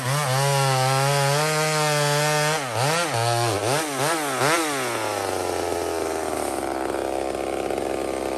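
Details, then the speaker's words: Small Homelite two-stroke chainsaw on a stock chain (owner says a better chain would cut faster) in maple: a screaming pitch that bogs and recovers as the chain bites, then clears back up. Healthy cutting under load. "but what we're actually gonna do is we're gonna watch this little home like rip through maple"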